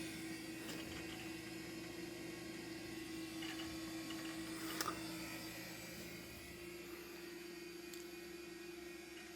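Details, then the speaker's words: 12GB Quantum Bigfoot hard drive in a Compaq Presario 5630 (400MHz Pentium II), the startup drive booting Windows XP: steady mid-pitched platter hum with soft scattered seek ticks, the Bigfoot's distinctive sound; normal spin-up and access. "You can hear that. Oh, man. The Bigfoot has a distinctive sound."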